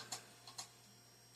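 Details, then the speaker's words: Old Compaq PC stored in a damp barn, rusty and dirty, first power-up: sharp, light clicks about every half second over quiet fan hum as the hard drive clicks instead of spinning up normally. Owner suspects a connection problem, unconfirmed. "Oh, there we go. Yep. Gotta click and drive."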